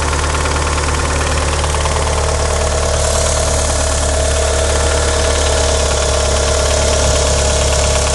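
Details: 1994 Mitsubishi Eclipse GS-T turbo four at idle with a fast, light ticking from the engine bay, about three to four per second; owner suspects lifter tick, cause unconfirmed.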